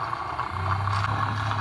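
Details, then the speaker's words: Newly installed water pump in a camper van, run off an EcoFlow during a leak test with the outlet valves closed. It fills the lines and accumulator, drawing about 15 W: a steady low hum under a thin even whine, running normally. "Tiene que cargar bomba, acumulador y todo. Y en teoría tiene que parar en cualquier momento."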